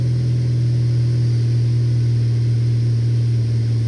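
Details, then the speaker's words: 2002 Saturn SL four-cylinder, first startup after repair, settling from fast idle to about 800 rpm: even, steady hum with no stumbles, misses or shaking; normal idle. Stored codes were cylinder 1 misfire and engine coolant temperature circuit high. "i don't feel any misfires the engine is like super smooth let's let it come off of this high"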